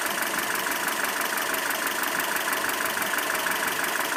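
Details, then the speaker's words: ZMZ 402 engine, warm, idling at about 650-700 rpm with oil pressure around 2: dull, fairly steady knock about three times a second that comes and goes; cause was play between piston pins and connecting rods in all four cylinders. "Так, машина прогрета, полностью холостой ход, примерно 650-700 оборотов. Давление примерно 2 на холостых. Такой вот звук на холостых оборотах. Именно такой вот глуховатый."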